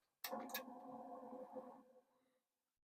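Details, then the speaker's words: Commodore 2031 5.25" floppy drive, long unused: rough buzzing hum for about two seconds on spin-up then winding down; owner suspects dry spindle needing lubrication; noisy spindle. "So, it's noisy. So, I would bet that the spindle, like all of us, would like a little lubrication."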